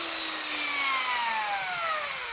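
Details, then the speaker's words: Electric drill after replacing worn carbon brushes (before, it would not turn without hand-spinning): clean high whine winding smoothly down as motor coasts, no grinding or sparking; starts without help, repair successful. "ลองกลับทางนะครับปึ๊บโอเคนะครับทีเดียวติดไม่ต้องช่วยหมุนนะครับแสดงว่าเรามาถูกทางนะครับ"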